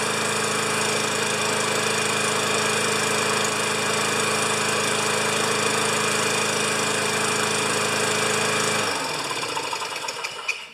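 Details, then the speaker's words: 29-year-old Rally electric-start lawn mower, apparently bought in eastern Canada, started after adding gas and priming: loud, rattly but steady single-cylinder run at constant speed for about nine seconds, then shuts down; not quiet but running normally. "it's not a quiet more but it's all here Mrs P would love it except it weighs two tons"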